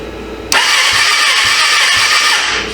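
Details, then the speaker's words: 1996 Suzuki GSF600 Bandit that sat 14 years, compression test (cylinder 3 read 70 lb, cylinder 4 nothing): fast, even starter whir with no compression strokes. Owner suspects stuck valves or rings; no compression while cranking. "well open man this thing ain't got no compression H could it be stuck valves stuck Rings it's not good maybe that's why they brought it in"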